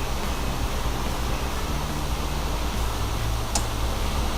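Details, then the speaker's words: Floor fan after repair (owner found its bushings lacking lubrication; before, it hummed and would not turn): runs through speed modes with oscillation, giving a smooth, even airflow hiss and soft low hum with no scraping or labouring; normal running. "вот третий режим второй режим сейчас включим чтобы он ездил вот он ездит в разные стороны дует и все отлично и так далее"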